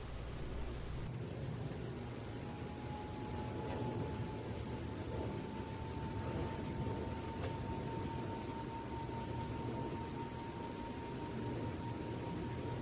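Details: Home Decorators Pompeo YG618-WH 52-inch outdoor ceiling fan on high speed: thin, steady high-pitched motor whine over soft air rush, which disappears at medium speed.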